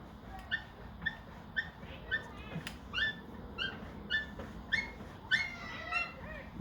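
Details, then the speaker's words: Tesla Model 3, front left upper ball joint after injecting fluid (likely ATF) and lowering the car: short, high squeaks almost twice a second, like a lost puppy. "making a different sound now now it sounds like a lost puppy"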